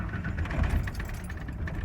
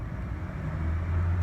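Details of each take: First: 1993 Ford F-150 4.9 straight six at startup: uneven idle lurching and surging, RPM bouncing with throttle, tends to die; rough unstable idle, later fixed by replacing MAP sensor. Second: 1993 Ford F-150 4.9 inline-six after MAP sensor replacement fixed rough idle, bogging and hesitation: quick start, steady low rumble swelling smoothly with light throttle, responsive, rpm holding steady; normal idle and throttle response.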